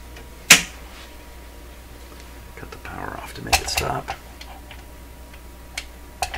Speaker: stop oh see that doesn't sound like a rubber tire that sounds like something with metal